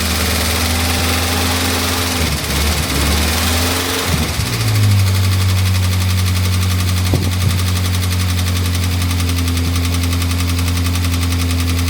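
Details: Morris Minor 1000 just started after a long break: engine stumbles and dips for the first seconds, then steadies into a lumpy, uneven idle while cold and warming, rough running.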